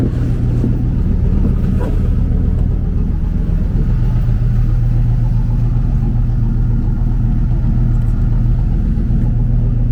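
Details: 1995 Impala SS V8 at steady idle before the pipe is welded: deep, unmuffled rumble, far too loud and raw, like open headers; exhaust leaking from the damaged pipe. Owner also suspects a weak battery or failing alternator.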